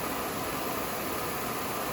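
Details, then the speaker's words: Oxy-acetylene cutting torch being adjusted toward a neutral flame: oxygen opened too far, so the flame's feather is pulled back too much and gives a steady, loud hiss that rises in volume, no flutter or pop; excess oxygen, needs pulling back. "Hear it hissing there, just change volume. That's too much feather. Pull it back."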